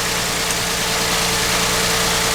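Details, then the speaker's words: 2009 Ford Edge 3.5L V6 with P0306 cylinder 6 misfire, idling with coil connectors being unplugged: loud uneven stumbling idle under hiss; misfire at idle. "I'm going to pop both of these out just because, and I'm going to start the car. I can feel it's got a good miss."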